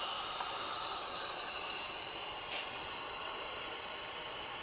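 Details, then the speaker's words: Nissan VQ40DE 4.0L from a 2010 Xterra with 203K miles, engine stopped, on a leak-down test. A faint, steady airy hiss as air escapes past both exhaust valves, which aren't closing fully, possibly from debris. "okay well it looks like it's coming out of both so I'm going to turn it over just a hair and we're going to see if we can get that to stop okay so that's there we go so those aren't closing all the way"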